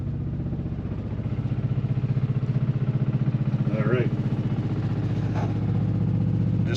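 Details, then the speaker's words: Onan generator in an Arctic Fox 990 truck camper, heard from inside the camper: a loud, even low thrum at about four pulses a second, around 70–75 dB, with interior items vibrating. "the sound of our generator running i don't know if you can pick it up but things in here are actually vibrating this baby is loud"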